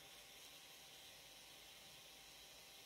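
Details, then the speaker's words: Raspberry Pi 4 case fan switched from 3.3 V to 5 V: steady, airy high-pitched hiss with no rattle or wobble, spinning at full speed and much louder, giving better cooling. "escucháis como grabadas cinco guardas voltios se escucha bastante más potente vale hacer muchísimo más ruido"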